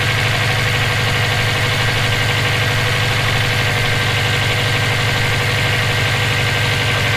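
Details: EJ257 engine knocking at idle for about 17k miles since purchase; fairly regular tapping knock, two or three per second. Owner suspects rod knock, spun bearing or valve lash needing adjustment; unconfirmed.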